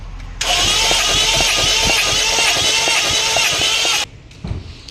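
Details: Toyota Corolla with a 2Z engine, found with no coolant and no oil, oil just added: the starter spins fast and steady, about two turns a second, for three and a half seconds and never fires; it cranks but won't start.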